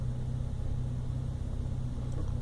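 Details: 1997 Toyota Land Cruiser FZJ80 (1FZ inline-six) with a rough idle that carried on to about 2000 rpm: a low, uneven, lumpy idle rumble instead of a smooth hum. The MAF and intake were checked; the owner suspects an ECU relearn after driving fixed it.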